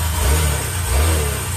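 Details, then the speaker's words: Honda Dream motorcycle engine running: low, steady single-cylinder beat with a faint busy rattle; mechanic attributes it to the timing chain and will fit a new timing chain kit. "যে timing স্টেনে যে sound আসছে এটা যে শোনা যাচ্ছে যে timing স্টেনের যে sound"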